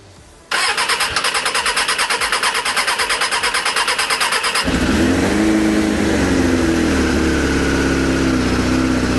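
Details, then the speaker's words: Suzuki Bandit 600 motorcycle, cold start with battery charger connected: cranks several seconds, catches, then runs ragged, coughing and stumbling when choke is reduced; rough running when cold, previously found firing on only three cylinders. "Ready, steady, and Oh dear. It doesn't like running without a choke, does it?"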